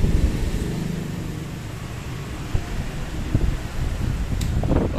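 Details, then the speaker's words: Tesla-brand electric fan after repair of humming, non-spinning blades caused by a seized, under-lubricated shaft and bushing; test run on speeds one, two and three, smooth even motor hum with rising airflow, no rubbing, working normally. "Nomor satu kencang, dua lebih kencang, tiga lebih kencang."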